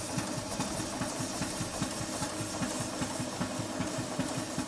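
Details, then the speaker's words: Model live-steam traction engine on test steam-up in rain after modifications incl. new Jubilee No. 8 vertical injector; ~30 psi on gauge. Forward valve timing quite advanced (reverse slightly retarded), runs better so. Steady even chuffing ~2.5 beats/s; normal running. "The valve timing in forward is not slightly retarded, it's actually quite advanced, but the engine runs better this way."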